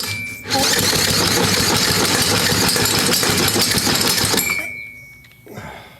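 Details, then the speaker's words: Briggs engine never given an oil change, with varnish-stuck intake valve and lifters being freed, cranking: an even chug at about three beats a second, each stroke alike, with the gauge reading at least 100 psi. Normal compression. "she got compression compression all right let's just put a gauge on it"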